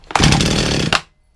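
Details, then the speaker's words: Chainsaw that had been sitting for some time, after fresh fuel added: short pull, catches and runs rough about a second then dies; fires straight away, possibly on old fuel already in it; chain brake not working. "That fire straight away. That could be the old stuff that's on there."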